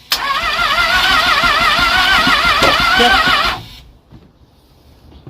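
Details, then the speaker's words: Starboard engine on the Hummingbird trawler during a refit cranks with an even warbling whir for about 3.5 seconds but won't start; only the batteries have been replaced so far. A fuel issue is suspected, and the fuel filter will be checked. "good deal so it's spinning but yep why isn't it like starting is it not fuel issue possibly"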